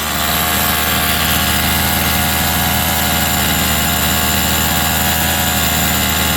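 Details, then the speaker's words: Rovan 45cc two-stroke in XLT RC after clutch change: rough, uneven, muffled idle that sounds like it's drowning, less peppy than before; owner later calls the tune change normal after a clutch swap. "Back then it used to be more peppier. It used to be more peppier back then. Sounds different. That's like it's drowning."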